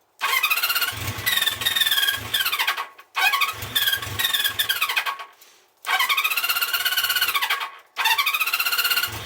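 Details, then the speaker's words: 1974 Honda CB350 Four, pilot screws set 1.5 turns out: repeated throttle blips where revs climb briefly then sag; won't run off choke and only revs on choke, pilot jets in the carbs suspected blocked. "So it's not running at all without choke on. And you can only rev it up when it's on choke, so pretty sure the carbs are blocked."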